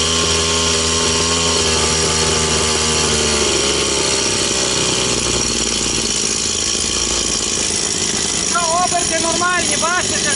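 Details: Stihl 180 two-stroke chainsaw after piston and crankshaft seal replacement, started after spraying petrol into an oil-flooded cylinder: high buzzing note holds steady revs, then an even rasp, no stumbling or air-leak surging; revs normal, no air leak.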